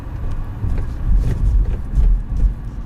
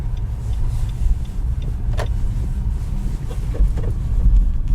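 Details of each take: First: Nissan Rogue/X-Trail T32 driving over rail tracks after the front suspension squeak was fixed; the squeak appeared over bumps in cold weather below about 2°C. Only low tire thumps are heard, with no squeak or creak. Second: Nissan Rogue / X-Trail T32 driven over speed bumps and potholes at about −2 °C or colder: low cabin rumble with short harsh creaking squeaks from the front suspension; silent blocks and stabilizer bushings checked and ruled out.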